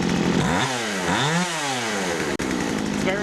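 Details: Poulan 2150 chainsaw after turning the low-speed carburetor screw in about one turn: the small two-stroke swings up and back cleanly with the throttle and settles to a steady, responsive idle, though it later stalls and may need the idle raised.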